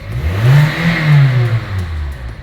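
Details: 2012 Kia Soul after replacing the crankshaft position sensor for code P0335 and clearing the code: the engine revs up smoothly and settles back with an even, clean tone, no misfire or stumble; normal revving.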